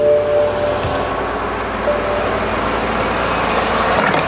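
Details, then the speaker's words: BMW X-series after oil and filter change, first start: steady even idle hum with no knocks, ticks or rattles; engine runs smoothly, no leaks around engine or underneath. "So as you can hear, the engine is running. We don't have a leak around the engine."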